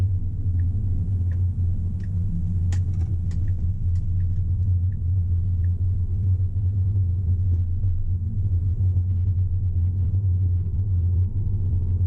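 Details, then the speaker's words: Tesla on Full Self-Driving at town speed, checking for a squeak that came back earlier from the front driver's side tire area: steady, even low road rumble with only faint scattered ticks, no squeak or squeal; no noise present. "I love full self-driving. I'm so glad the car isn't making any noises."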